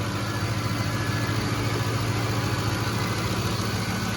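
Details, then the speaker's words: 2007 Ford F-150 5.4L 3V Triton V8 after timing chain, tensioner and cam phaser replacement, cold start: steady even idle, soft rumble, no internal ticking or rattle, good oil pressure; only a slight exhaust leak at manifold or donut gasket. "but as far as internal engine noise it is nice and quiet super smooth"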